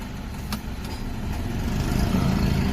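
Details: Nissan with new spark plugs, old plugs over gap blamed for shaking: smooth, even idle around 1000 rpm that dips only slightly and holds steady with headlights and air conditioning on; normal idle under electrical and AC load.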